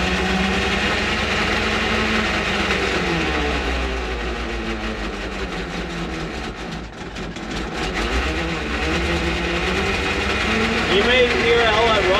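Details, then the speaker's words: Antique International tow truck, cold start at about 60°F: the engine idles evenly with a loud mechanical gear whine and rattle over it. Owner suspects bad transmission bearings or straight-cut gears; the engine itself runs well. "I don't know if the transmission's got bad bearings or if it's straight cut gears or what all that noise is but the motor runs phenomenal"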